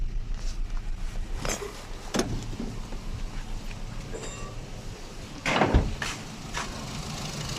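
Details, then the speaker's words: 2014 Nissan Sunny petrol engine idling unevenly with a lumpy low rumble and heavy vibration, knocking complaint with no DTC; misfire traced to a failed number-four ignition coil. "यहां देख सकते हैं engine के अंदर बहुत ज्यादा vibration है कि आप देख सकते हैं"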